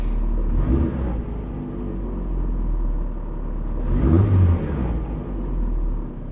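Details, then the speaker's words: Supercharged Mazda MX-5 NA6, idle screw set to about 1,050 rpm, revved high then clutch in and released: revs fall back and idle keeps sagging and wavering toward stall; idle set too low, needs raising. "still not happy this look just goes down thing you need to raise it up a bit higher"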